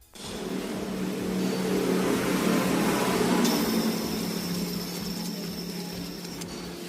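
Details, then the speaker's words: Timing belt tensioner removed from a Daihatsu Xenia 1.0 during a timing belt job and spun by hand: gritty, rough drone with a faint hum that fades as it slows. Worn tensioner bearing needing replacement. "Cek kondisi tensioner tersebut. Tensioner yang sudah harus dilakukan pergantian akan terdengar bunyi kasar sebagai berikut."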